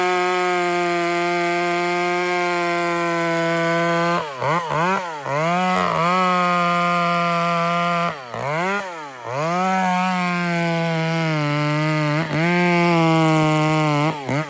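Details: Chainsaw cutting: crisp, steady high rev with clean dips and quick pickups in the cut, no bogging or stumble; nice and smooth, normal running.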